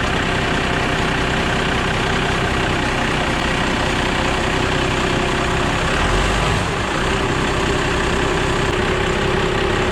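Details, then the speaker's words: 1997 Dodge 2500 12-valve diesel, cold start after the battery terminals were cleaned: it catches right away and settles into a steady, even idle rumble without stumbling. A healthy start, weak-start problem fixed. "all right so that's how well it starts that's the way it started when i first got it and it's been running like that ever since"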